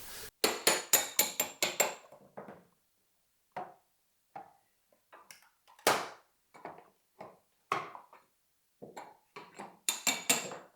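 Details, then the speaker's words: Glued solid oak parquet lifted and warped by a water leak, tapped to find how far it has come unstuck: uneven sharp taps, some boards ringing dull and hollow instead of solid, showing debonded floorboards to replace. "Là pareil, on entend bien, ça sonne le creux."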